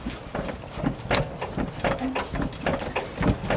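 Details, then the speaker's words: 1994 Nissan Atlas 4WD truck, FD42 diesel; rocking the cab by hand gives dull irregular clunks, three or four a second, from play in worn cab mount bushings, the cause of a left-front knock over bumps and chafed hoses. "Вот, соответственно, такой люфт даёт у нас с вами и стук, и вот эту потёртость."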